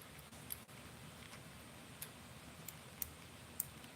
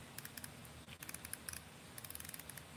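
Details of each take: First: BFS baitcasting reel drag clicker sounding muffled: only a few faint, uneven ticks barely above room hush. The clicks are there but far too quiet, inaudible out on the water; owner suspects something needs bending or tweaking. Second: should be able to hear that baby. You should be able to hear those drag clicks, right?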